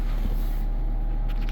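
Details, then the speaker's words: Furrion 18k variable-speed RV air conditioner in a trailer, heard at the dinette: heavy steady low hum from the compressor, not thumping, boosted there by standing waves; low-frequency compressor drone. "Right now, it's running 80 dB on this side of the trailer. You can't really hear it because it's a low frequency noise that has standing waves."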